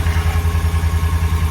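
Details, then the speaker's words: 2019 Ram 1500 Tradesman after repairing a broken exhaust flange bolt; steady, low, even idle pulse with no ticking or puffing at the manifold; exhaust now sealed, engine idling smoothly. "Now, as you can hear, she's a happy girl. We got no leaks, nothing. She's happy."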